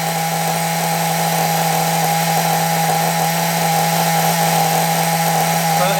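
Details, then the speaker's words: Small RC nitro engine received from a subscriber, throttle set high to keep revs up: high, steady buzzing drone held at constant revs without sagging or cutting out; running cleanly after earlier rough runs. "running nicely now now as I said because I don't a piss off my neighbors starting to get a bit late"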